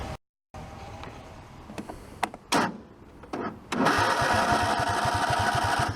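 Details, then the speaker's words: Craftsman garden tractor, engine badged 22 hp, possibly 18 hp: short, sluggish cranking bursts that sag like a flat battery before it catches; battery not the cause, a starter wire cutting out. "You guys heard when I hit the starter that sometimes it sounds like a dead battery, but it's not. It's just that wire kicking out."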